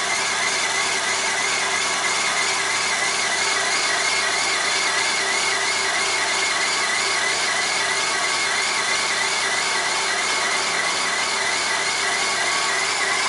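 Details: 1997 Corsa 1.0 MPFI at cold start: a steady, high, raspy chirping or scraping noise over the idle that goes away once the engine warms up.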